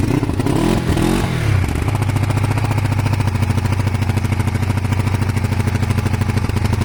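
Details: Kawasaki ER500 twin with white smoke idles with an uneven, stumbling beat and irregular pulses; misfire on one cylinder, owner suspects a broken head gasket, unconfirmed.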